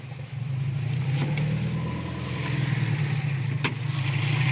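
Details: Subaru STI at idle: low lumpy note swelling and sagging, rpm bouncing 500–1500, steadier 650–850 with MAF sensor unplugged; hunting idle, cause unknown.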